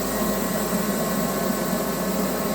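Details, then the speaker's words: Pro 80,000 BTU kerosene torpedo heater, unused for two years in a barn, with just under half a tank of kerosene. The fan and pump whoosh runs with no burner roar and shuts down within seconds; either no spark or no fuel is suspected. "shut down in a few seconds. So that's telling me that either there's no spark or there's no fuel."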